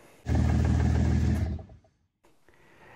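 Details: Non-stock DeLorean stalling at stops: engine fires, runs roughly a second and a half, then sags and dies. The oxygen sensor was already replaced but it still stalled. The throttle position sensor was not reading zero when stopped, so idle control never engaged.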